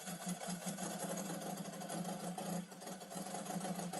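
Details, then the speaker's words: Pygmée F3 racing car, brand-new engine that revs to about 12000 rpm, very first start: rough, uneven buzz with a stuttering beat because not all cylinders are firing; misfire, cause not confirmed. "Donc là, on n pas tous les cylindres. Voilà, on n pas tous les cylindres."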